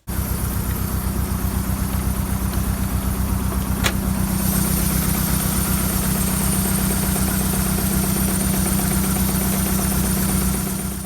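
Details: VW Golf 1.6 petrol (2003 onwards), engine management light on, running lumpy and shaking: uneven idle with stumbling beat about four per second and shaky low thrum; misfire from a faulty ignition coil, replaced.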